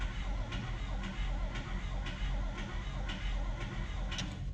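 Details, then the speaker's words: 1955/56 Oldsmobile Rocket 88 with 324 V8, barn find sitting 22 years, cranking: turns over about one beat per second with light tick each turn but no start; owner suspects a bent lifter, checking points for spark next. "Nothing. It does have a tick to it, but might be a bent lifter or something."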